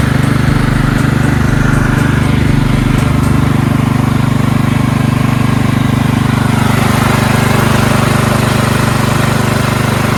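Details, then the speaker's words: Engine on belt-drive hauler after fixing carburetor flooding from a non-seating needle (gas out the muffler): steady, even drone at full throttle with firm regular beat, no surging or sputtering; healthy, no fuel leaks. "everything seems to be good engine's purring like a kitten now no fuel leaks"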